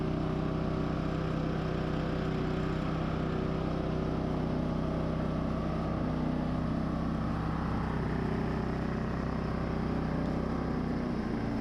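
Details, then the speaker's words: Firman W3300i inverter generator after new ignition coil, pull rope, fuel clamps, cleaned carburetor, repaired wires and reconnected inverter module: smooth even drone, steady low hum, no misses or knocks; running normally. "Alright, so new coil, new rope, new clamps, clean carb, fixed wires, and inverter module connected. Let's start it."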